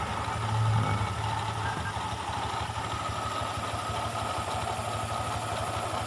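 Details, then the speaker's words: Honda Vario 125 (new bike) idling; rough, uneven rattle and gritty whirr at the rear from the CVT block, noise began after a filter change; double clutch bowl still good, worn CVT pulley bearing suspected. "dengarkan ya suaranya kasar di terah belakangan ini"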